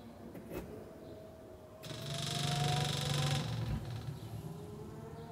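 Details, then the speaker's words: Bugeye (Frogeye) Sprite, first start-up attempt after rewiring, ignition switched on with the engine off: a quick, light ticking buzz as the fuel pump is heard priming, a good sign. Finding: normal fuel pump priming. "that's a good sign if you I can hear the fuel pump"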